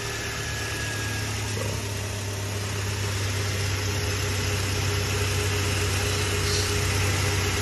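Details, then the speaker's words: Toyota Hilux 3RZ-FE 2.7 L petrol, after idle-screw adjustment, checked in gear: a steady, even idle hum around 800 rpm with no shaking, stumbles or knocks. Normal idle. "just put it in the gear one more time just to check this good doesn't shake doesn't do nothing no"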